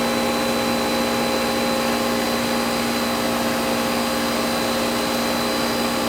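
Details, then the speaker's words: Goodman AC condenser after replacing bad compressor-side capacitor, thermostat turned all the way down: loud steady hum with constant pitch and airflow roar; compressor now starts and unit runs smoothly. "Hear it? Compressor started that time. So it should be, I pushed the thermostat all the way down. Yeah, it's working."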